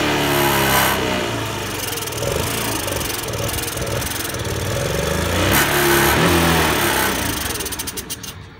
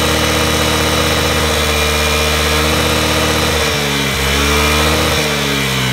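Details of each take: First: Honda Today moped: revs rise and sag unevenly, never pulling cleanly to high speed; poor running suspected from carbon buildup, engine conditioner being tried. Engine won't rev. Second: Honda Today moped, engine previously wouldn't rev, treated with engine conditioner for carbon buildup: runs smooth and even, takes a quick rev and settles straight back to steady idle; running healthy.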